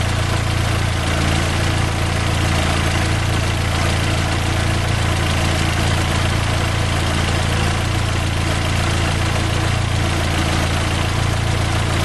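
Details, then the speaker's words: 2010 Fiat Palio 1.4 8V Fire, after repair for ticking engine noise and coolant flush: steady, even idle with smooth low rumble, no knocks, misses or rattles; running perfectly, no oil or water leaks. "tudo funcionando perfeitinho tudo sem por cento funcionamento Redondo tudo bacana demais sem nenhum vazamento de óleo ou de água"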